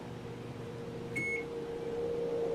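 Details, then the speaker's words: Fan motor on a homemade lawnmower: a beep, then a steady electrical hum as it labours. It needed four tries before it begrudgingly started and now sounds slower than it used to. Cause unknown. "on another hum off and on again another hum and then the fourth time it actually begrudgingly got going"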